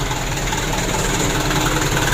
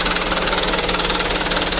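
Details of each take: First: Mitsubishi Canter diesel after injection pump plunger replacement and pump adjustment: steady even clatter at about 600 rpm, regular firing, no misses or stray knocks. Normal diesel idle, repair completed. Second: Mitsubishi Canter diesel truck after injection pump plunger replacement, first start: fast, steady clatter at idle with a slightly uneven pulse; plungers being adjusted one step at a time to get a stable idle. Rough idle.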